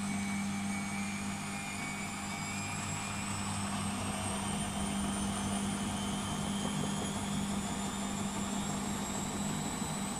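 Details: Beko WMP 601 W 6kg 1000 rpm A+ washing machine spinning up: smooth steady whirr climbing gently in pitch, no grinding or scraping; the grinding heard during wash tumbling is absent when it spins.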